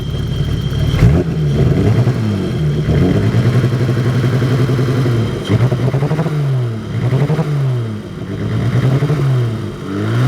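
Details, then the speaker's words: BMW E30 with hard-starting/flooding issue, cold idle: slow uneven surges every second or so, lumpy like a big cam, hunting; smooths out when fully warmed up and under driving load, cause unknown. "Here it kind of sounds like it's surging a little. So if anybody knows what would cause that, it's like it's stuttering, like up, and like it's got a now it's loping. Sounds like it's got a cam in it."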